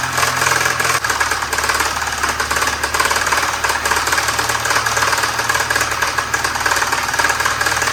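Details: 1973 Volvo 144 with a flat-tappet cam, run on diesel oil for its zinc: rapid, uneven knocking about three to four per second over a rough idle; known engine knock, cause not identified, worn bottom end suspected.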